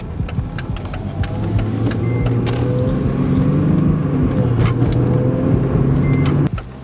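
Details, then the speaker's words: Mercedes-Benz after replacing camshaft adjuster magnet for P0025/P0022/P2006 codes, checking for leaks and engine light: low even idle hum with light clicks on top, no misses or knocking; idling smoothly. "Got to start it up and make sure there's no leaks, or make sure it's running right, no engine light."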